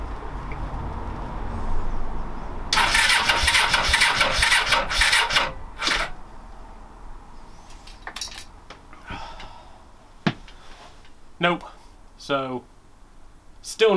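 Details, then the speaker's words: Suzuki GS500 with good spark, even compression and fuel present. Long cranking bursts never catch, then sharp exhaust backfire bangs. Owner suspects too little air and reset the carb mixture screws; cause unclear. "there's definitely fuel getting into it because it's backfiring it's going into the exhaust it's going bang i think it might be there's not enough air going to it"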